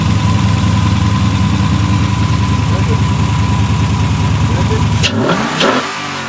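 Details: Cammed V8 after Edelbrock intake manifold swap with 92 mm throttle body, fuel primed, heard from the rear: loud lumpy idle, choppy rhythm about 200 pulses a minute, deep exhaust note; healthy, settling after start-up.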